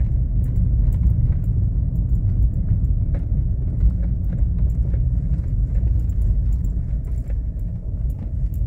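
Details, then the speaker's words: VW Polo driving on a fairly regular street: irregular dull knocks through the low road rumble, sounding like a stabilizer link or steering rack but actually a worn lower control-arm ball joint; replaced. "olha o barulho que faz tão vendo dá impressão que é bieleta da impressão que é caixa de direção Mas é ele batucando e detalhe que eu nem tô numa rua ruim uma rua até que regular"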